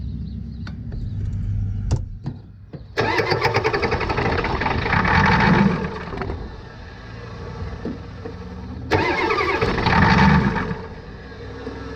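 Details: 1989 Ford F250 7.3 IDI diesel after fuel system work, glow plugs cycled and starting fluid used: two long spells of steady cranking with a pause, never catches; fuel supply later found not tightened.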